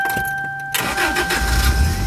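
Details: Toyota Previa with the stock airbox drilled underneath and on the side as a hidden intake mod; chime tones, brief crank, prompt catch and steady even idle; starts cleanly.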